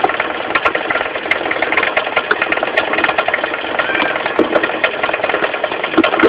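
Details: Mitsubishi 4G15 carburetted engine at steady idle with irregular sharp ticks and light knocks from low at the front, the crankshaft pulley area: a loose crankshaft pulley, fixed by tightening it rather than replacing it.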